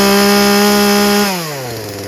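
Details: Craftsman 16-inch 38cc two-stroke chainsaw holding a clean, steady high scream at full throttle, then winding down smoothly on release without bogging; low and high mixture judged perfect, nothing wrong with it.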